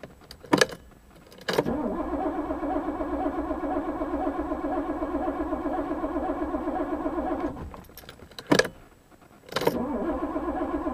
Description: 1982 Porsche 928 S. No Start!